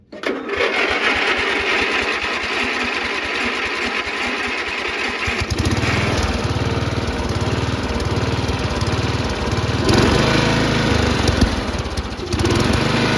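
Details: Riding mower engine after the ejected spark plug was reinstalled and torqued to spec: fires up right away, holds a steady, even drone with no misses or surging; running healthy.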